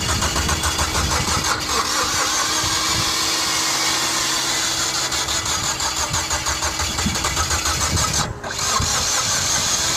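Steady starter cranking rhythm that keeps spinning but never catches and runs, a timing-related no-start.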